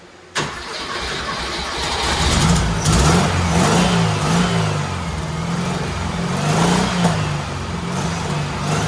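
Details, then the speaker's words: Carbureted turbo Porsche 930 rat rod with a new bigger carb setup, after several adjustments: fires and settles into an uneven, hunting idle, pitch wandering up and down; runs as well as ever but idles poorly, cause not pinned down. "i've been messing with a couple adjustments and it's running it's running as good as it's ever ran just not idling very well"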